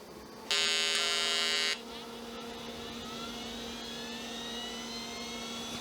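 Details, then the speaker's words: Olivetti M300-30/P, BA366 motherboard, hard disk hooked up at power-on; short loud beep, then high whine climbing as platters spin up with light seek chatter, no errors, drive detected. "It's seeking. The hard disk is seeking. It doesn't seem to have any errors."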